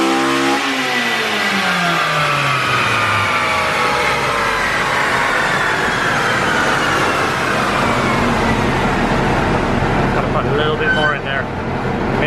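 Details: Red Honda Civic Si coupe on the dyno at 94 degrees, after a data log flagged one bad injector: pitch climbs smoothly and steadily under full load with no stutter or misfire, a clean, healthy pull.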